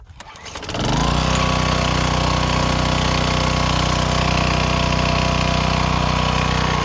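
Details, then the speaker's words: Craftsman wheeled two-stroke weed trimmer after new spark plug, carb cleaning and fresh gas, cutting weeds with commercial-grade line: starts and settles into steady, even high-revving buzz, no misses or surging; running cleanly, works. "Well, it works. It was that easy."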